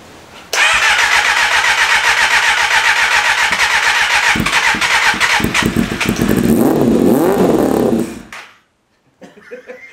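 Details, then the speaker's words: 1988 Kawasaki ZXR250, first run; cranks, catches and runs loud and ragged with uneven revving for several seconds before dying; thirsty for a 250, owner thinks the carburettors need cleaning; blocked jets suspected. "It's a thirsty bugger for a 250. I think I might have to clean the carburetor. I think you might have to."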